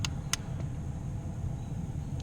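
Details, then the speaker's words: 2001 Ford F-150 blower motor on low speed after replacing the failed blower resistor (previously worked only on high): low, even fan rumble, no rattle or squeal; normal blower operation. "oh I can hear it running already"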